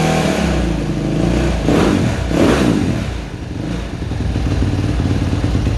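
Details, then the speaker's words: Suzuki RMZ 250 previously wouldn't start; after switching the cams around and re-timing, the single-cylinder four-stroke catches and runs with throttle blips, steady and even, no knocks or misses; normal running. "Oh. Well, it runs. I'll put it back together tomorrow and test drive it."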